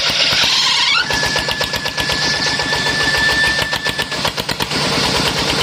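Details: Kubota single-cylinder diesel just rebuilt, homemade open racing exhaust with internal baffles drilled through: loud, sharp barks firing steadily with no knock or miss; healthy running through an open pipe.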